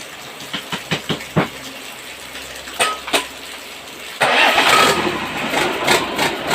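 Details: Engine test-started after a piston replacement: clicking, then it catches and runs unevenly with a tapping clatter from inside the engine, not from the outside part first suspected. Internal noise, source not pinned down.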